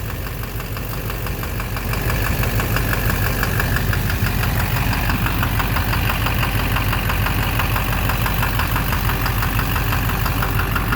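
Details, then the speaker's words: 2009 Silverado 3500 Duramax LMM diesel, 59,900 miles, knocking intermittently since 57,500 miles: steady knock about twice a second at idle in gear, heard near the oil pan, suspected bottom end; oil analysis shows no abnormal wear. "There's the oil pan. Sounds sort of like the bottom end. I don't know. Something. Like something in there."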